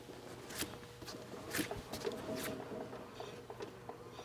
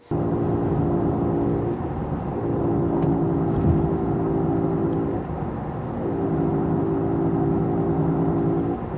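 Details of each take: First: Front wheel bearing with no issues, spun by hand: turns quietly with only faint intermittent brake pad scraping, no bearing growl and no play. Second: Road test at speed: steady low humming drone from a worn wheel bearing fades while cornering unloads that side, then returns when driving straight and reloading the bearing.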